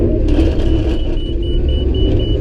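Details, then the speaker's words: Combine harvesting oats with a worn head that balls up thin crop: the deep rumble thickens as the feeder strains under a big wad taken in gently, then settles back to an even run, swallowed without plugging. "hear that that went through thankfully so yeah you got to run this head so close to the ground but just every once in a while you get to a spot where it just does that"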